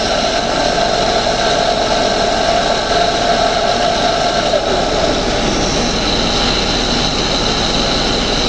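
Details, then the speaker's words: Air-conditioning evaporator fan; steady whirring air rush with a thin tonal whine riding on it, a noisy fan to be replaced. Noisy blower fan. "Ô, galera, aqui tem um ventilador que tá fazendo barulho, ó. Vou trocar ele, certo?"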